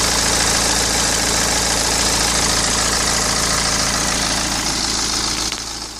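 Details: 2010 BMW 116d (E87/E81), N47 2.0 diesel 115 hp, running stationary; fast, dry metallic rattle over the diesel clatter at idle, owner attributes it to the timing chain, unconfirmed; engine rattle at idle.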